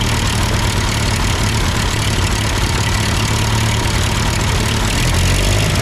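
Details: Ford 8N tractor that sputtered uphill with a cheap Chinese replacement carb, now with its carb adjusted; steady, even low chug with no misses, knocks or hunting, engine hot. Normal idle.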